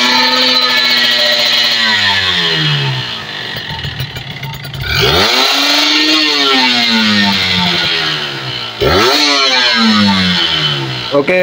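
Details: Kawasaki Ninja RR two-stroke after carburettor and reed membrane service and air/idle screw setting: crisp blips sweep up and drop back cleanly without stumble; carburettor responding well.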